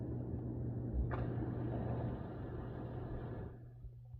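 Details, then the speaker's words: Hot tub jet pump after replacing a bad capacitor that left it humming without running, both sides now working: steady low electrical hum with water churning, then the motor winds down; normal, no stalled humming. "So let's try the ones that didn't work last time first. And you see they're working. This side. And they both work."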